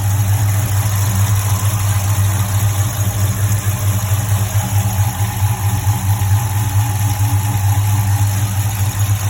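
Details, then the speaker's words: HEMI V8 at idle, hood open, after many parts replaced and exhaust leak ruled out: light, fairly regular tick about twice a second over a steady idle; ticking persists, source not pinned down, cause suspected, not confirmed. "I'll show you that even with all the parts that I've thrown at it, the ticking is still very much there."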